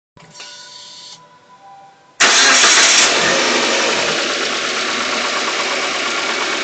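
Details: Engine on RON95 fuel with NGK Iridium spark plugs cranks, catches and settles into a fast idle with a busy ticking rattle on top. Owner is unsure whether this is an IAFM problem or engine knocking.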